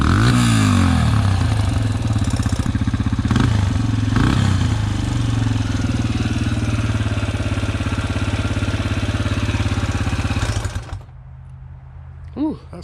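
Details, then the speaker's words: Yamaha TTR125 dirt bike rebuilt with 150cc big bore kit, ported head and Mikuni VM24 carb, running very rich and hard-starting; single thumps unevenly with harsh mechanical clatter, rough running, owner unsure of noise, suspects crank bearings or a loose valve lash. "rough well the bike's running but unsure what that noise is crank bearings maybe"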